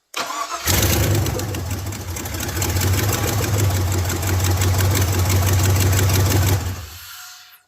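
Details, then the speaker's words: Abandoned Silverado mud-truck build, EFI engine first start: cranks and catches, holds a rough, lumpy idle about six seconds when revved, then dies and stops; stall cause unknown, intake not yet hooked up. "Fire it up again. I want to try to rev it up a little bit. [Music] Did you stall it? Yeah."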